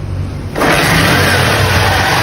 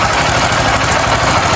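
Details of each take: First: 50cc motorcycle after valve timing was reset to the marks: engine catches and settles into a steady, even idle with no knocking or rattling; the noise is gone. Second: tá quer dizer que tem um barulho terrível terrível rapaz ninguém acha problema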